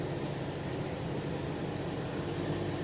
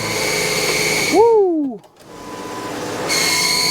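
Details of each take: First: 1998 Jeep Wrangler TJ after clutch throwout bearing replacement (bearing previously squealed loudly): engine hums steady as reverse engages, no squeal or chatter; normal clutch engagement. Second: 1998 Jeep Wrangler TJ with engine running: loud, high-pitched screech cutting in and out over the engine from the clutch; throwout (release) bearing suspected before transmission removal and bearing replacement.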